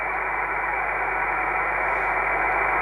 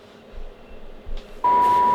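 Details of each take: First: Kenwood TS-450S receiver with the preamp off. A thin, steady whistle sits over the receiver hiss and grows stronger with AIP (advanced intercept point) switched on: an internal receiver birdie. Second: Kenwood TS-450S transceiver receiver check at 1.85 MHz, low end of band, after confirming good sensitivity at 29.8 MHz; soft hiss then a clean, steady mid-pitched test tone comes in strongly; receiver working normally.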